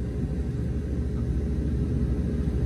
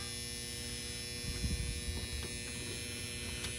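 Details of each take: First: Goodman package unit with no heat or air, contactor jumped: condenser fan and compressor run and the blower motor ramps to higher speed, a steady even rush of air without rattle; AC works, fault was a bad contactor. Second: 2018 Goodman 14 SEER 3.5-ton package unit with no heat or air: steady electrical hum with a buzzy edge and nothing starting; the control transformer is buzzing because the common wire is disconnected.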